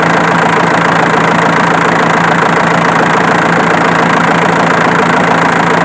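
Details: Diesel engine idling with a light, fairly regular snap about twice a second over the clatter, located with a camera; traced to the alternator, not the injection pump as suspected.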